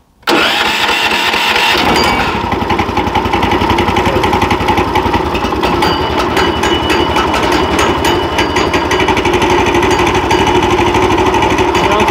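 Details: New Predator 420cc 13hp engine swapped onto a Harbor Freight sawmill, replacing the 301cc, first start with the electric key start, fuel on, start mode: starter spins briefly, then the single cylinder fires and runs evenly with no knocks or misses; healthy.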